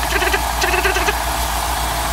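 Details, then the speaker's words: Cold engine idling loudly with bursts of quick light tapping about eight a second; owner identifies piston slap that appears about 30 seconds after start and disappears once pistons warm; alternator whistling audible. "oh there's a piston slap hear it takes 30 seconds till it reveals itself once the Pistons warm up it goes away"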